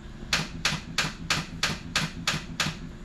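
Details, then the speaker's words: E46 wagon with ZF gearbox, on jump pack with weak battery: sharp metallic clacks about three a second while cranking, engine not catching; starter appears to be getting stuck, suspected, not confirmed. "like your starter is getting stuck or something. Not good? Nope, not good at all."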